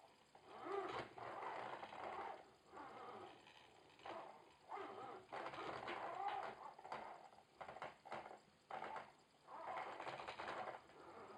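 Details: Logitech Driving Force GT wheel, second unit (first returned for the same noise), game sound off, at maximum force feedback strength: irregular buzzy, fluttering rattle bursts a second or two long; something inside the drive sounds loose, unconfirmed.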